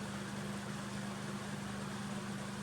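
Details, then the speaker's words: Dimplex 360 Turbo 9 inch oscillating desk fan (45 W) on lowest speed 1, turned away from camera: soft steady low hum with gentle air rush, no rattles or ticking; running normally. "So that is the lowest fan settings. That's number 1 we're on at the moment."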